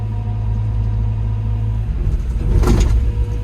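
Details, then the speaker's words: Develon excavator with poor performance: steady low diesel rumble with the engine hunting, then the machine lurches and clunks when casting the dipper arm. Jerky hydraulic operation, with negative control (negacon) pressures found set far too high. "e, because the engine's going wah, wah, wah, wah, wah, wah, wah. You might see it when I cast this dipper arm away from me. You'll hopefully see the machine giving it a bit of shaking. And when I look at the negacon pressures, they're set way too high somehow."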